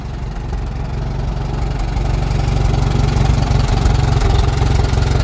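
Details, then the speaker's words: 1949 J.I. Case LA tractor engine, about 60 hp on a dyno, running with a steady, even low beat of firing pulses about four a second, no knocks or misses; slight gear noise that comes and goes. "It's a really good running engine. Like I said, it made a little over 60 horse on a dyno."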